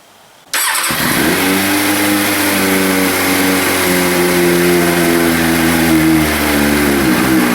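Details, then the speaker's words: 2003 Triumph Speed Four after replacing plastic fuel tank fittings with stainless couplings, new plugs and K&N filter; starter catches quickly, then smooth even four-cylinder idle with no fuel leaks; normal start and idle. "All right, starts up. Runs just fine."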